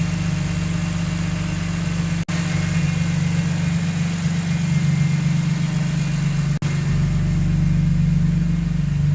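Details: Engine at steady idle after a VANOS rebuild; code P0012 popped up and the AC stopped blowing. A fairly regular tick about four per second rides over the engine; source not pinned down yet.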